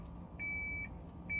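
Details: Lexus SC430 memory seat reset after battery disconnection, seat moving all the way back: clean high beeps about half a second long, roughly once a second like a backup alarm; seat going through its reset routine.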